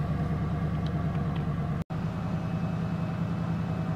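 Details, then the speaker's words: 1988 Ford LTD Crown Victoria after warm-up; it had a miss and stumble when cold: steady, even low idle with no stumble or misses, normal warm idle. "right I've had this thing run for a little while here and it seems okay"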